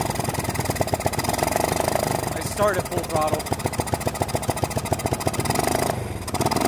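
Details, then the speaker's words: Honda XL185 barn bike, sat over 20 years, previously poorly worked on, good spark, compression and timing but hard to start: lumpy, uneven single-cylinder idle with heavy irregular thump. "Throttle exactly what I was doing before really yeah exactly it's pretty nasty in here I mean it runs"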